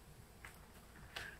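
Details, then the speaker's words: MSI Sword 15/Katana laptop being handled: three sharp isolated ticks in a quiet room, clicking when moved; owner suspects a loose case clip, not confirmed. "that's what that thing is what that noise was, but it's clicking when I move it sometimes."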